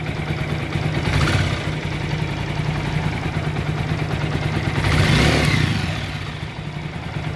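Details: TVS Apache RTR 4V single-cylinder bike after replacing a broken rocker arm, timing chain and adjuster: throttle blipped cleanly twice, rising and settling to a steady idle with no clatter; sounds healthy.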